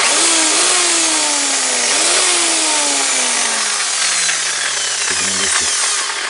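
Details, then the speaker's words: Electric hammer drill after replacing the damaged bearing bushing on the gearbox: high motor whine winds down smoothly with no rattle or grinding. It now runs much quieter and the drill head no longer shakes; normal running after repair. "drill is now working much quieter. And we see that the drill head no longer shakes."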